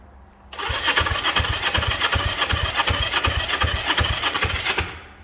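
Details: 1963 Honda CB77 305 Super Hawk twin, fuel on, choke guessed up: the starter turns it over with about three uneven thumps a second for four seconds, but it never fires; cranks, no start.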